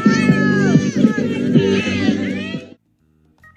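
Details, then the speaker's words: Battery-powered portable music player (twelve 5-inch Sony drivers, 50 W class D amp) that, after about 20 minutes of use, cuts out for a split second every 1-1.5 seconds; loud music with kids, intermittent dropout. "what it's been basically doing is every second or so every second and a half it's cutting off just for a split second and that's no good"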